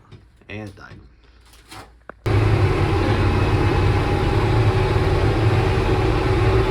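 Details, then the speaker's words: 1968 Kaiser Jeep M725 military ambulance, first drive in 15+ years, cold, creeping slowly in low gear; a heavy, steady low rumble and drone builds. Owner suspects something in the transmission is making the noise. "So, I definitely think it's something in the transmission making noise."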